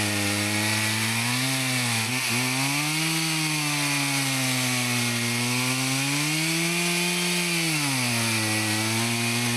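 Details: Husqvarna 162 two-stroke chainsaw, about 50 years old, repaired after not running, cutting firewood: strong howl that sags under load in the cut and picks straight back up; running perfectly with plenty of power; normal running.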